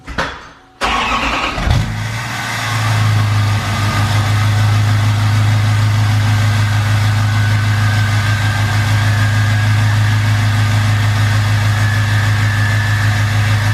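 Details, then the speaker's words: 2020 Duramax L5P diesel just fitted with new Stealth 67 V2 turbo, heard from cab with windows cracked: cranks, catches, steady even rumble with faint rising whistle on slight throttle; spools faster than before, normal. "I have my windows cracked a little bit so you can kind of hear the turbo, but the slightest bit of throttle, you can hear that turbo just spool right up."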